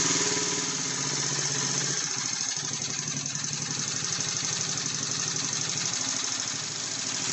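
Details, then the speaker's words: Roughly 90cc single-cylinder pit bike found on a rubbish pile, carburetor idle speed and mixture being adjusted. The beat shifts during tuning, then settles into an even, steady idle. A fuel leak was noticed near the carb. "I think we'll leave it there about as good as it's going to get"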